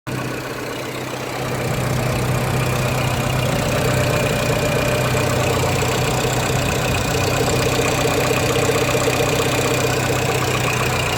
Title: Megane 1.4 engine knock